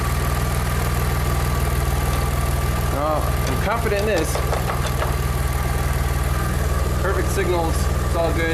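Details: Engine-swapped Audi A4, after repairing sensor wiring (solder, shrink wrap, tape) that caused crank no-start: steady even low idle, no stumble, knock or hunting; running smoothly.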